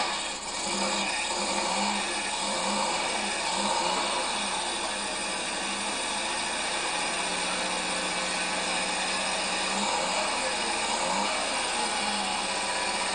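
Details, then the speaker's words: Fiat 600 Multipla old car that wouldn't stay running, now restarted after compression and timing checked and fuel found lacking (gauge read quarter tank, was actually out of gas); strong, even, crisp run with no misses, stumbles or knocks. "Does that sound like a brute or not?"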